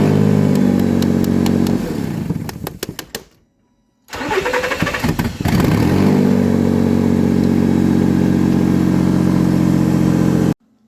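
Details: Nissan Xterra 4.0 V6 that shut down and intermittently would not start from loss of spark: it runs, dies, then cranks, catches and returns to steady idle. The cause was a faulty IPDM module.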